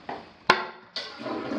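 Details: Toilet in an 8-year-old North Texas house during a home inspection: a quick rush of water drains away cleanly with no gurgle or hesitation. A normal flush.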